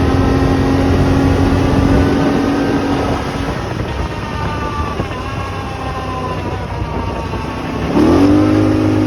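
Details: Brand-new 2024 Polaris Sportsman XP 1000: engine drone sags in pitch with a faint whine as the throttle closes, then picks back up; noise on throttle lift-off, cause unclear.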